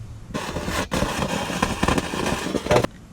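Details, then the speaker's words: BMW E90 stereo with speakers cracking, cutting out and fluctuating in volume: harsh crackling static burst that drops out and resumes; reseating the radio harness plug did not fix it, and a connection near the trunk battery is suspected. "it seemed like a pretty logical reason that i wasn't working to get rid of this static sound"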